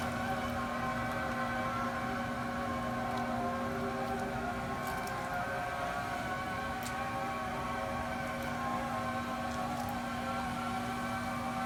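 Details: New Raypak pool heater installed a couple of weeks ago started producing a steady low howl holding one pitch with a ringing overtone, unchanging over the run; owner does not know the cause of the howling noise.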